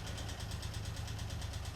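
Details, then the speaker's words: 1988 Ford Escort with refurbished Bosch K-Jetronic metering head, running after long lay-up, gears and brakes tested: steady, even low idle with smooth regular beat, no knocks, misses or hunting. Normal idle. ">> Everything's doing what it should be doing."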